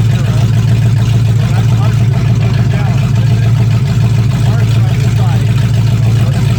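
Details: 1965 Mustang fastback, 289 V8 with Tri-Y headers, first start after sitting 44 years, freezing cold day: deep, loud, even V8 burble with a steady pulse and no knocks or misses. Normal idle; only a dripping carburetor needing a rebuild.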